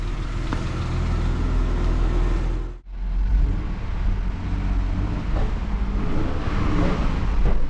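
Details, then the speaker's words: Vauxhall Omega 2.5 V6 estate pulling away after new exhaust system fitted; soft low even rumble, brief lift at gear change, no blowing or rasping, very quiet. "It's so quiet."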